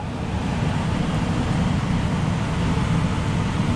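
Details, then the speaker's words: Coleman DGAA056BDTA furnace after combustion blower motor replacement, cover back on, no fire whooshing out at the edges. Main blower kicks in with a steady, even low rumble of moving air, no knocking or rattle. Normal furnace blower run after repair. "yeah you'll notice there's no fire whooshing out around the edges or anything like that I don't feel any airflow there goes the blower"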